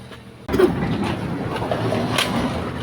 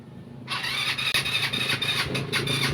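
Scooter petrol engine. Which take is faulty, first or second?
second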